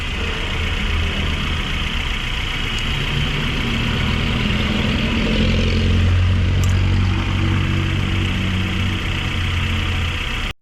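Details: Suzuki APV, after repair for rough idle, misfire, vibration and low power, ignition coil area checked with no leaks: steady even idle with a constant low hum, no misses or stumbles; normal idle.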